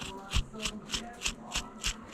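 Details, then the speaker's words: Minn Kota trolling motor steering drive housing bench-tested with 36 volts: one of two motors spins, sounding rough and scratchy about three bursts a second, like full of sand; failing steering motor. "only one motor was spinning as even here this one's kind of quiet this one I don't know if you can hear it but this one kind of sounds like it's full of sand"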